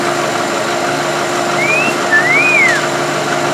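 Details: Chevy truck after repair of running-rich and hard-starting complaints (codes 175 and 172 fixed, fuel trims back within plus or minus 10 at idle); smooth, even idle hum with a steady light whine, no stumbling or misfire, healthy.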